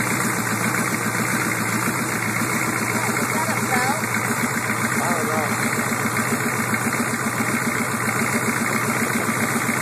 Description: weird engine noise on start up on my 87 suburban with a 6.2 turbo diesel. this sound has been around for about a year but has been very quiet until now. usually goes away after warmed up.